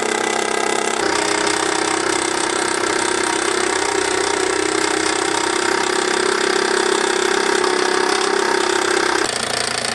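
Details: All-original Bowman M175 toy steam engine with countershaft, run in live steam on its own burner, with a slight safety valve leak: a steady, bright steam hiss with a quick, light, fairly even beat; normal running.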